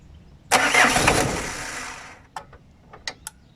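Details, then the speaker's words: 1997 Citroën Berlingo, 1.9 L naturally aspirated diesel with hard starting; glow plugs suspected, 10 V measured at the glow plug: a 1.5-second crank dies without firing, then separate relay clicks, as the cranking was too short. "On entend claquer. Là elle n'a pas tourné assez longtemps."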